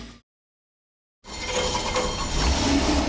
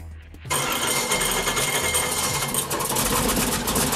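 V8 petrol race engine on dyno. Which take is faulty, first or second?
second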